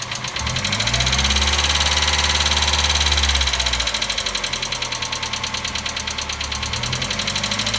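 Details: 1990 NA Miata four-cylinder on a cold start on a warm day: a crisp tapping of about three per second at idle that speeds up with RPM. A top-end tick; whether it is engine knock or a hydraulic lash adjuster is unconfirmed.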